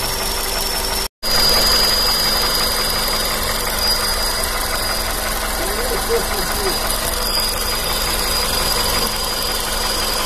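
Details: Petrol engine at idle: a thin, steady high whistle or ringing under the hood above the engine hum; source unknown to owner.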